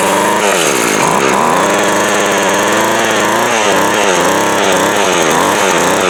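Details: Craftsman 17-inch 24cc two-stroke weed eater runs properly after the cylinder was cleared. The loud, buzzy note climbs and drops smoothly with throttle, with no misses or stumbles.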